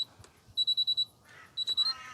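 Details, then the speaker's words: Miele T8929 WP heat pump clothes dryer, a discarded unit run with little or no washing in it: it stops again, then two bursts of short high beeps, five then three. This is the "adjust the load" warning. The owner will try a full wet load; the cause is unconfirmed. "oh it's just stopped again adjust the load okay i think we're gonna have to put some wet washing in and see if that makes a difference"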